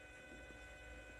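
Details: 2006 Ford Escape Hybrid that sat two months and won't start: faint steady electric hum of the electronic system, then the coolant pump winds up and runs smoothly with no grinding or rattle, pumping fluid to cool the high-voltage electronics.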